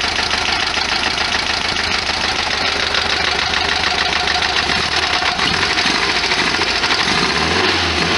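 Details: 1973 VW Super Beetle after STP oil treatment trouble and hydraulic lifter work, just cranked: loose clattering valve ticks over an uneven idle; owner fears motor damage, suspects oil pressure relief or cooler bypass valve jammed.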